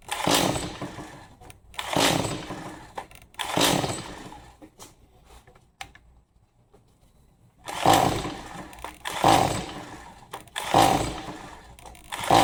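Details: Stihl MS 180C that won't start, after a fuel dump and fresh gas: repeated pull-cord whirs about every 1.5 s, none firing; turns over but won't start.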